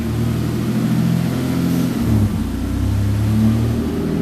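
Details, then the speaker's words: Engine on a base map before its dyno session, idling with a mild hunting idle, its pitch wandering every second or so; oil pressure is fine, vacuum good, and it is running slightly lean. "she's got all right oil pressure it's hunting a bit it's got good vacuum running a bit on the leaner side at the moment"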